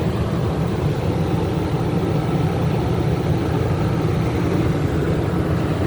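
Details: Generator rated 3200 W starting / 2900 W running, regular (not eco) mode, as a 15,000 BTU A/C compressor starts after a Dometic hard start capacitor was installed (it previously tripped the surge protector); steady deep drone under load, no stalling or surging, a clean start.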